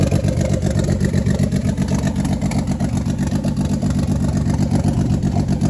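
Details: Turbo 24v VR6 first start after a build, the first run in about a year, turbo coolant and drain lines just fitted: engine catches and holds a deep, even beat, throttle blips rising and falling cleanly with no knocks or misfires; engine running.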